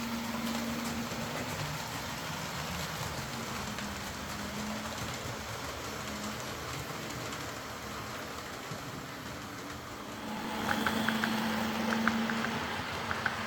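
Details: Old Hornby R751 Class 37 model locomotive after repair, wheels cleaned of corrosion with a rotary tool and brass brush, body refitted, on track: quiet, steady motor whir under wheel rumble, no stalling or stuttering; normal running.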